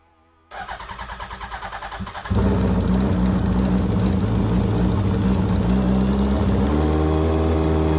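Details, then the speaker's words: Hayabusa-swapped Can-Am X3 with fresh injectors and checked plug gaps, previously running on three cylinders: brief crank, then a steady, even four-cylinder idle with no misfire or stumble; normal idle. "Holy crap. It actually freaking works. It actually works."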